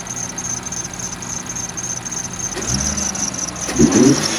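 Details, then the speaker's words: 2016 Infiniti Q50 Red Sport 400, warmed up, stock exhaust with catted downpipes and HKS blow-off valve: steady quiet idle, then two quick throttle blips, each with a sharp airy whoosh as revs drop; healthy engine. "So we'll give it a quick little rev since it's already warmed up. I just want to let y'all hear the HKS blow-off valve."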